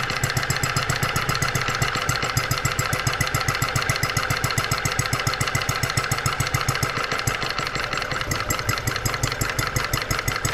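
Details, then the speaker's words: New Stirling kit vintage horizontal mill engine (cast iron base, 9-inch flywheel), first start on 5.25 V power supply after opening mixture: quick, even popping beat, sharp exhaust snaps, engine shaking; normal running. "it's a large engine so absolutely it's going to shake would you look at that how incredible right out of the box"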